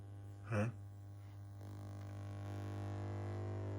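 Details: NAIM NAC152 preamp plus NAP200 clone combined amplifier after switch-on: steady, low, even hum with a short thump near the start; cause unknown.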